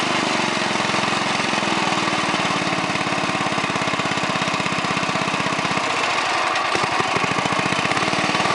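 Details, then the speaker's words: 1969 Yardman Snowbird 7040-0 snowblower, 5 hp single-cylinder engine, catches on full choke and settles into a steady, even rapid firing beat with no knocks; normal running. "Alright, now I'm going to go ahead and start it up and show you what it's made of. Okay, put it on full choke. It's on full run."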